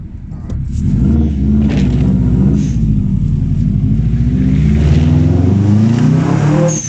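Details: Japspeed shotgun exhaust fitted: engine pulling with a rough low exhaust drone and an uneven pulsing about three times a second; the source can't be pinned from listening. Unusual exhaust noise, cause suspected, not confirmed.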